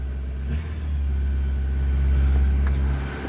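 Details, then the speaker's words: Ford Capri XR2 four-cylinder after head gasket work and repair, now firing on all four instead of three: smooth, even revving with no stumble or shake, top-end noise gone. "Oh yeah. Just revs so much better."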